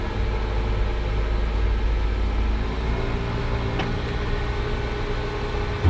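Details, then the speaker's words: Nissan Sentra that shut off while driving as if out of fuel, after replacing a blown fuse: engine runs at a steady, even low rumble with no stumble or cutting out and the fuel pump is running. Fixed by the fuse; blown fuse may signal a failing pump. "so it was just a fuse yeah it feels the pump is running so the problem was just a fuse"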